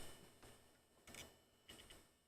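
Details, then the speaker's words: Old rebuilt PC hard drive at power-up: a few faint, separate clunks at irregular moments over near silence as the drive fails to settle while the OS setup cannot continue; repeated clunking suggests a bad drive, unconfirmed. "it's bun up this time and it went a clunk and it went to a clunk yes hard drive doesn't sound that great keeps making the noise that I think it makes"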